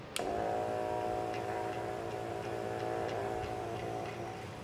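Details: Steauty 12V 120 GPH fuel transfer pump with filter attachment, powered by a cigarette-lighter plug or battery clips, pumping fuel: steady mid-pitched electric hum with light regular ticking, no grinding or stalling; running fine.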